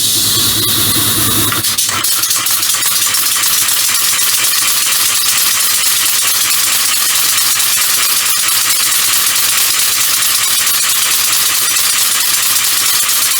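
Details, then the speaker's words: Compressed-air motor mounted as bicycle assist, first run with chain fitted: loud steady air hiss with fast uneven chattering rattle like a slack chain slapping its sprocket; not enough chain tension from rear tensioner, chain may jump off; owner considers adding a clutch. "Not enough tension on it to make sure the chain stays tight."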